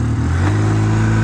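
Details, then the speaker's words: Polaris Sportsman 700 ATV revived after sitting: short throttle blip, deep even exhaust rising smoothly and settling back without stumbles; running properly. "she's running good looks like we're riding this thing today"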